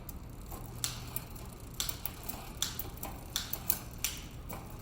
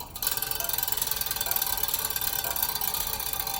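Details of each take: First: Bicycle: irregular sharp metallic ticks and rattles from the turning chain, skipping two gears per single click; front shifter out of adjustment, needing adjustment at the cable nut on the handlebar shifter. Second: Bicycle wheel spun while plucking spokes: rapid even clicking, slightly lower tone on reflector-mounted spoke; spoke tension normal.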